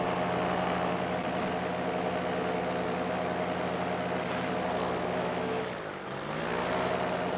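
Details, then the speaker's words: Paramotor in flight at about 150 ft, pilot pumping the throttle but the engine not clearing: a low, flat drone with wind rush that dips briefly around six seconds, then recovers weakly; engine losing power while descending, cause unknown. "So I keep trying to pump it, it's not clearing. I'm just slowly descending,"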